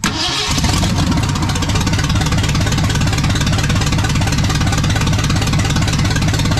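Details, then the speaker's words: Restored 1979 Ford F100 with a brand new engine on first fire: the starter whirs briefly, then the V8 catches and holds a steady, slightly lumpy idle; possibly short of gas. "Oh. She did something. She ain't got no gas in her."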